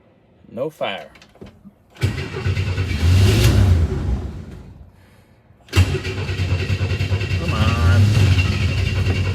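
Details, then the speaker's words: 1962 Chevy II carbureted engine after running out of fuel, new ignition coil just fitted: two long bursts of steady cranking that never fire, not even on ether; weak new fuel pump, fuel starvation. "didn't even like The Ether we're gonna see if we have a fuel supply problem"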